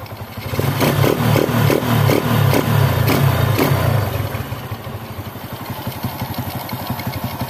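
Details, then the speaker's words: Single-cylinder four-stroke with its carburettor air screw set to a "wet" (richer) mixture: several quick throttle blips rise and fall cleanly with no hesitation, then settle to a steady idle. This is normal, responsive throttle that starts easily in the morning. "Maksud saya, jika kondisinya "basah," akan seperti ini—akseleratornya responsif. Mobil ini responsif, dan langsung menyala di pagi hari, serta tidak ada jeda saat berakselerasi."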